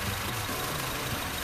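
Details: Honda Civic FD 1.8 petrol engine idling with an uneven, lumpy beat; unplugging coils shows cylinder 3 is not firing, traced to a faulty injector, fixed by cleaning, testing and fitting an injector repair kit.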